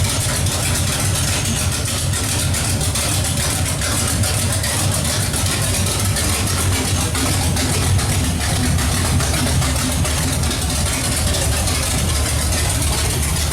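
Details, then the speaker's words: Pontiac 455 V8 with open pipes, no exhaust fitted, run to cure heat paint: loud, deep, steady idle with even rhythm, no knocks or misses; normal idle. "all right now step we'll shut that off go from there sounds good hopefully your runs as good as it sounds and uh we actually got to quiet it down because we got to put an exhaust on there"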